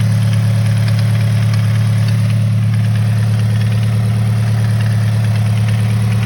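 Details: 2013 Scion FR-S at idle after the FR-S/BRZ recall engine-out repair meant to fix the tick: light fast ticking about three per second over a steady idle persists; cause not pinned down.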